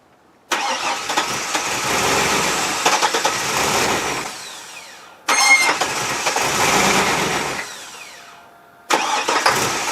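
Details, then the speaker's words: Chevy S10/Sonoma 4x4 4.3 V6, sat three years, run with oil removed until it stalled: harsh, labored cranking bursts with metallic rattle, no firing; oil-starved engine barely turns over, dead. "it is dead it is dead you hear how bad that is but she turned"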